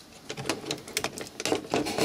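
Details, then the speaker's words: Small gear on disc-player motor mechanism driving door eject and laser sled, laser stuck, run from a variac: dry uneven plastic clicking about four a second as the gear skips teeth. "you can hear it skipping teeth there just always noise all you hear is some dry gear noises"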